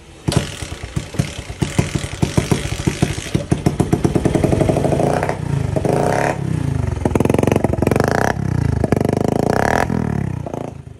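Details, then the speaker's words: Platina single-cylinder after service, water in the fuel tank: starts and revs with uneven stumbling beat, slight misfire attributed by owner to water in the tank. "तो guys finally bike तो start हो गई है और थोड़ी सी गा missing कर रही है तो वो कर रही है गाइस में जो कि टैंकी में थोड़ा सा पानी वगैरह घुसा हुआ है ना"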